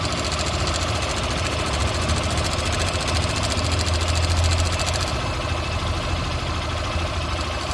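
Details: Motorcycle idling with a loose cam chain rattle, also due a valve adjustment: the rattle eases as the cam chain tensioner is taken up with a screwdriver, leaving a light valve tick, showing a worn tensioner.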